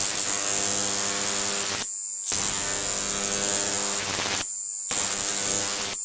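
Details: Large flyback transformer on a ZVS/MOSFET driver fed 30 V from a toroid transformer: sharp high-pitched buzzing arc hiss with steady hum in bursts, cutting out twice as the arc breaks; healthy arcing.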